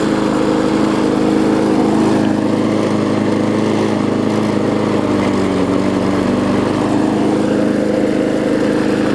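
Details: Bolens front-wheel-drive self-propelled push mower with roughly 4.5 hp Briggs & Stratton, after regapping ignition coil that sat too far from flywheel (had no spark): steady, even drone at constant speed, no misses or stumbles; runs cleanly.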